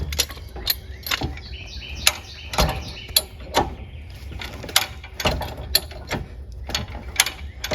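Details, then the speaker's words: Camper trailer tongue jack, never greased in the 3 years the camper sat, winding up to lift the light front end: crisp ratcheting clicks about twice a second with a dry scraping squeal between them; lack of grease suspected. "You hear making all that noise? I'll lift those legs up real quick. I suppose in the past 3 years we should have greased this, but I didn't."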